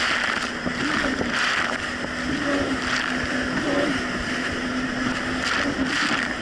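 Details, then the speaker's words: 2007 Yamaha VX Cruiser jet ski on Lake Michigan, previously surging and bogging, after the fix: a steady engine drone with a smooth pitch that holds under wind and water noise, with no surging. Normal running under load. "honestly the Jessie's actually running a whole lot better it's not doing the surging issue"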